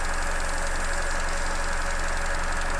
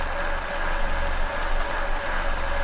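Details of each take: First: Petrol engine returned to normal idle after an induced vacuum leak that had caused hissing, stumbling and lean fuel trims: steady low hum with an even settled rhythm as trims come back down. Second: Petrol engine idling with an induced vacuum leak (finger over a pipe): faint hiss and bad stumbling, lean condition with fuel trim and injector pulse width rising to compensate.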